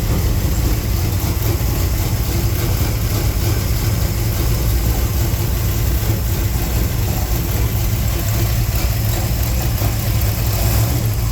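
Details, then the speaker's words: 355 small-block Chevy V8 in a 3rd-gen Firebird, first start after adjusting the valve lash to a quarter turn of preload (too much preload had cost lift). Idling just under 1000 rpm, smooth low rumble, no lifter tick, good idle air-fuel ratio. "not bad not bad at all idling just under a [Music] th000"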